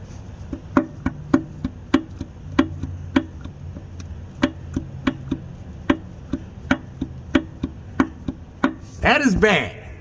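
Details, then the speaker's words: 1970 Chevelle LS swap, 6.2 engine bottom end on stand: sharp metallic clacks about twice a second as a connecting rod is rocked by hand; worn rod bearing with excess clearance, rod knock. "that is a rod knocker so if you need to see the difference between bad and good i just showed it to you right there"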